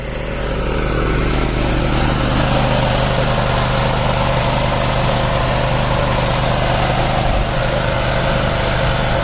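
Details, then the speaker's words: Mid-size air compressor used to blow out a sprinkler system for winterizing; loud, even motor drone with a steady pumping beat that builds and holds as the tank fills, the sound indicating pressure has built up, running normally. "that voice means noise means your pressure is built up"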